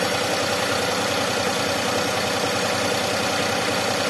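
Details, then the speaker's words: Daihatsu Xenia 1.0 three-cylinder, warming up, AC off: steady, even idle at 900 rpm with no hunting or surging; normal idle, ignition timing 5 ± 2 degrees at this speed. "ini 900 malah guys yo idlenya putaran putaran normal 900 RPM"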